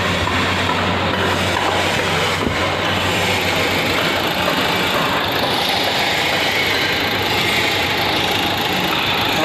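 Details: Renault Duster 110 PS diesel, no check-engine light: steady idle with a hard, even tapping over the clatter, a tractor-like knock from the front of the engine attributed to a faulty injector; problem later solved.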